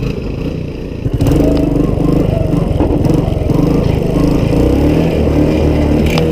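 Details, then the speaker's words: Honda ATC185, a rough machine needing full restoration but saved as a runner and rider, ridden out; crisp single-cylinder beat picking up cleanly as the throttle opens, no knocks or rattles; healthy. "we saved it as far as it's a runner and a rider now so yeah let's here run"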